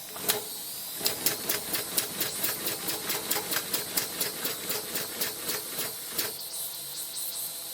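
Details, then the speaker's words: Maxwell Hemmens Birmingham Dribbler steam engine, boiler still contaminated with ultrasonic cleaner and no displacement lubricator: uneven, hissy chuffs about two a second falter and stop after six seconds. It is stalling from not enough heat. "Not enough heat. But this is the really weird thing about these sort of things."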